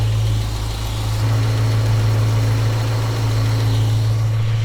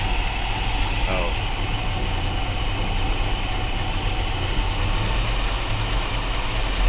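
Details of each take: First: Small-block Chevrolet in a panel truck with Sanderson headers, freshly installed, after carburetor mixture screw adjustment: steady, even low rumble at about 700 rpm and 20 inches of vacuum, no misses or lopes; decent base tune. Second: Small-block Chevrolet in panel truck, carburetor idle air screws reset to base settings: deep slow lumpy rumble barely holding about 400 rpm instead of targeted 750; idle too low after mixture screw reset, raised to 650 afterwards.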